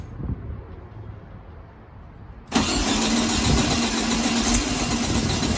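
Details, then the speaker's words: 1972 VW Beetle 1200, first start in over two years, with fuel dribbled into the carb float bowl and choke on. After quiet it coughs, catches and runs fast and rough on only some cylinders. Hard start. "oh well i heard it cough it wants to go doesn't it oh we are so close"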